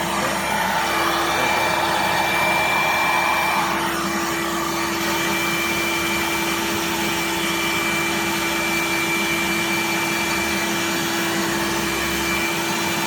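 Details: Riccar Supralite upright vacuum (church find) before servicing, belt broken, run to blow out dust: loud steady motor whir with rushing air and constant pitch, lots of airflow, little bearing noise; motor runs freely.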